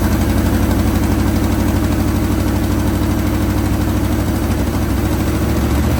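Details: 1980 Chevrolet Sierra Grande K1500 truck that sat 22 years, now running after a new distributor and belt tensioning. Deep, fairly even V8 idle with a steady low rumble and no knocks or misses. Normal idle.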